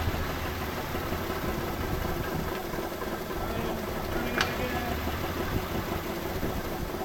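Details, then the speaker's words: 1984 Chevrolet C10 pickup with six-cylinder engine, 84k miles, unused since 1993, radiator removed: first run after sitting gives an even, low rumbling idle with no heavy knock or misfire; it sounds healthy enough to invest in. "So, the engine sounds good enough that I feel like I can put money into it."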